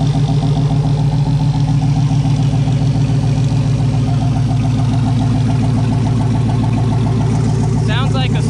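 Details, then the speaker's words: Wrecked Chevy Silverado, first start, oil pressure slow to rise but came up; settles into a strong, even idle with a steady low burble, no knocks, misses or smoke; normal start and idle. "derby car didn't even smoke noisy pressure took a second to get up but it went on everything's working"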